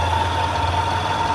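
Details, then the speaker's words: Mopar van after radiator and thermostat replacement, idling with the heat on high. A constant thin whistle-like noise, seemingly near the exhaust, fades over time. Owner suspects the heater or a vacuum leak, unconfirmed. "Alright, so we still got some kind of weird ass noise. Y'all hear that? Sound like my exhaust here."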